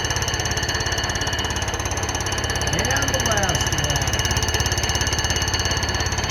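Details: Cutter on a light-duty surfacer decking a flood-damaged Honda K series block during a pinned deck conversion: fast, even hammering over the spindle hum as the cutter slams across the pins, an interrupted cut, so passes are kept light to avoid breaking an insert.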